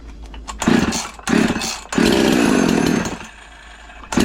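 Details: Husqvarna 346 chainsaw before a 351/346 cylinder conversion, low compression: crisp two-stroke bursts to full revs and back to a rough idle, clean and responsive; it runs fine.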